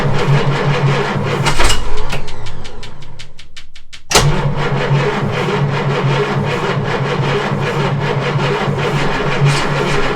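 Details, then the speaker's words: Jaguar Mk2 (budget build), first start in years with automatic enrichment device removed: cranking, a brief catch, then it fires and settles into an even, steady idle with a regular low beat; engine running after first start. "Okay, she's a runner. I hope that keeps the Mark II guys happy."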